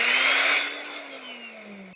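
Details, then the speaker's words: Mixer grinder that caught fire in use (melted casing) runs after its switch was replaced, tested before tightening: high-pitched motor whir with a steady hum that sags slightly on spin-down, then stops cleanly with no grinding or rattle; healthy motor. "അടിപൊളിയായിട്ട് നമ്മുടെ mixie work ചെയ്യുന്നുണ്ട്"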